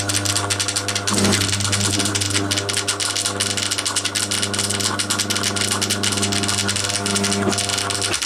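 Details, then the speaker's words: Scrapyard Crompton Parkinson 180 W single-phase induction motor, first run after oiling bearings: steady hum with constant tone and a faint rattling whirr; pulley found loose, noise source unclear, end unknown. "let me just chew that again might well be something to do not sure which end that noise is coming from"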